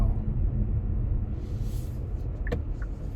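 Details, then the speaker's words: Kia Stinger on a bumpy stretch, after electrical tape was applied to the hatch: steady low road rumble with one faint knock but no repeating rear rattle; hatch sounds tight, rattle fixed. "okay well i've gotta say that that experiment worked and the answer for hatch rattle and the stingers seems to be a little bit of electrical tape"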